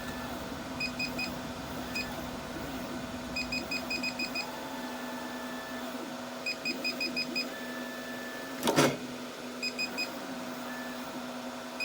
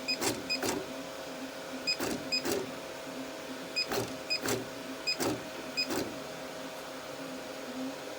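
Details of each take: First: Artillery X3 Plus 3D printer, Z and Y motor cables swapped at the main board to isolate a fault: steady low hum with crisp stepping chirps, no grinding or stalling; Z-axis moves normally, the faulty stepper driver is on the Y channel. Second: Artillery X3 Plus 3D printer: with the Z and Y motor cables swapped, the Y axis still gives short harsh buzz bursts and the bed doesn't move. This isolates a failed soldered-on stepper driver, so the mainboard is replaced.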